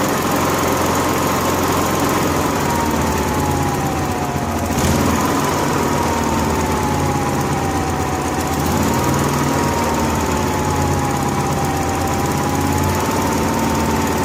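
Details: Honda gas-powered AEC welder generator, warm, running on a temporarily plumbed electric fuel pump jumpered to the battery after fuel-starvation problems: steady, even drone with a faint wavering whine near 1 kHz, no misses or surging. Runs normally.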